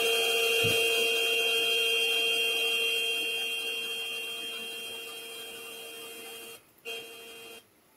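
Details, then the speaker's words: Gearbox in a plant, one of five identical units sounding different in comparative ultrasound testing: steady odd electrical hum with high whistling tones over faint hiss of bearing rotation; abnormal electrical sound with bearing noise. "If you're unfamiliar with what bearings sound like, you can hear a little bit of the bearing in the background. There's some rotation happening there. Uh but you're also picking up kind of an odd electrical sound."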